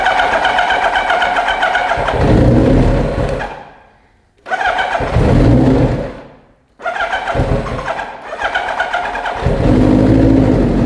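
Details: Cold Kawasaki Ninja motorcycle in neutral, dead cold start: engine cranks, cuts out, then catches on a retry and revs up crisply through a loud aftermarket pipe; normal start and running.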